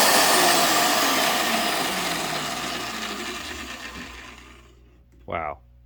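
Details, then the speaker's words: UK 110V Evo magnetic drill converted to US 120V plug: loud, even motor whir that coasts down smoothly to a stop, no grinding or rattling; motor runs normally. "nice engage you can hear it humming or I can hear it humming"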